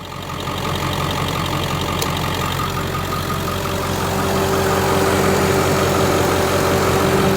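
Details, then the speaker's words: 2001 Ford Excursion XLT 7.3L Powerstroke diesel, 4WD, 207k miles, 5" turbo-back exhaust, cold air intake, mild tow tune; heard from outside at idle, steady even clatter and firm low drone, no misses or knocks, no blow-by; normal warm idle. "All right, let me get out so you can hear it idle. No blow by."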